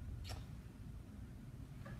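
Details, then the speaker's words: Maxon series 5000 shutoff valve with the motor operator unhooked: one sharp click as the solenoid pulls in, then silence with no motor hum, so the motor operator has failed. "what we can hear is we can hear and see the solenoid physically pulling in but what we don't hear or see is the motor operating so in this scenario the motor operator has failed"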